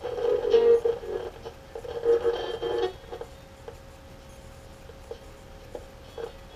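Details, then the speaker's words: Emerson AE-163 tube radio after recap, signal-traced at the 500K volume control wiper feeding the 6Q7: audio is low and bursts loud, drops and crackles erratically as the control is rotated; volume pot suspected faulty. "You hear the audio is low, and as I rotate the volume control back and forth, you can hear it's pretty erratic."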